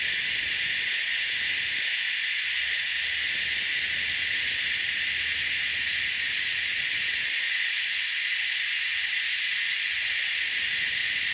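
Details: Harbor Freight venturi vacuum bleeder on shop air pulling vacuum on a Jeep YJ cooling system, aiming for about 25 inHg; loud, even high-pitched hiss holding steady, normal operation. The vacuum later dropped, revealing a coolant leak.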